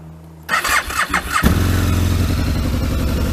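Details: Aprilia RSV Mille 1000 V-twin started from cold: starter whirs about a second, then fires promptly and settles into a steady, lumpy cold idle; healthy normal cold start.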